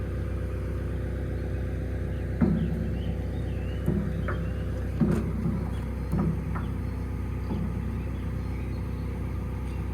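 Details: Excavator at diesel idle while slewing: irregular single clunks every second or two; lots of play in the slew, mechanic suspects the slew gearbox and pinion gear, not confirmed.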